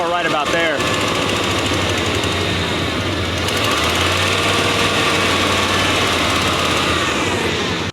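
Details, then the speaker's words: 1995 Chevrolet Silverado V8 shop truck, fuel gauge unreliable: holds a steady, fairly smooth idle for several seconds, then the beat softens and falters, losing power; fuel starvation from low fuel pressure. "but as you can hear right now it runs pretty smooth it just starts losing power"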